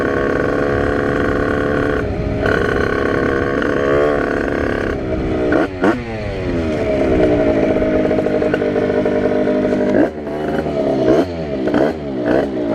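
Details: 80cc tuned two-stroke Rieju RR moped with brand-new cylinder, unconfigured carburettor with biggest jet, 4% oil mix for break-in, first test ride: raspy, blubbery burble under load; owner feels it is running rich.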